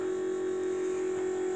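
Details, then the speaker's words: Key-on, engine off, on an International school bus (skoolie): steady even electric motor whine from the electric brake motor, which shuts off once the engine is running; normal. "That noise you hear with the key on is the electric brake motor running. And that shuts off once the vehicle's running. That's completely normal."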